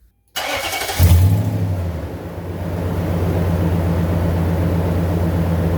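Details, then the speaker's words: Nissan 5.6L VK56DE V8 after the failed aftermarket AC Delco oil filter was replaced with an OEM Nissan filter and six quarts of full synthetic oil: quick crank, catch and rev, then a smooth, steady idle with no whine. "sounds seems like we fixed our issue sounds a lot better in here actually"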